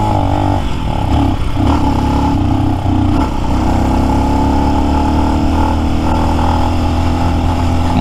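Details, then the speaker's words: New Lifan X-Pect single, about 70 miles, full tank, climbing under load: keeps cutting out and catching again in uneven stumbles, hiccuping; misfire from valve lash out of adjustment, fixed by adjusting it. "I'm sure people who see me are like what the hell is he doing as this thing's hiccuping and carrying on"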